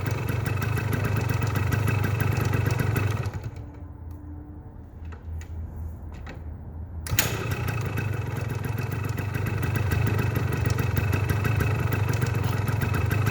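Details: 1981 Yamaha DT175 air-cooled two-stroke enduro, carburetor tuned in 2016 and untouched since, started monthly: steady crisp idle with an even ring-ding beat, briefly quieter mid-clip, no misses or knocks; healthy engine.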